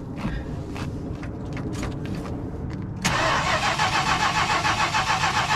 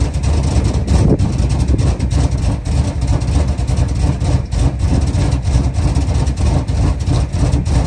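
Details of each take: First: 1977 Chrysler Town & Country wagon with a 440 V8, long abandoned: strong, even cranking about three and a half beats per second that never catches; healthy crank but the engine seems to be getting no fuel. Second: A 1977 Chrysler Town & Country V8 idles off a gas can after a pinholed metal fuel line was replaced. It holds a deep, steady rumble with an even lope and no misses, knocks or stumbles: normal idle.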